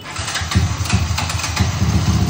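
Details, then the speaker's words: Sniper 155 engine, downgraded from 210cc to 192cc, fresh rebuild with NMAX valve springs, first start: quick, even exhaust pulses settle to a smooth, quiet idle with no knocks or ticks. Only the clutch housing is noisy, tolerably. Normal idle. "it's tahimik. Ang maingay sa kanya yung clutch. Yung clutch housing ang maingay."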